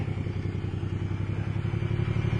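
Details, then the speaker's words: Car that had a no-start from missing spark, now started: an even, steady low engine beat with regular firing and no misses; running well, though the throttle cable sticks badly. "well there we go runs like a champ"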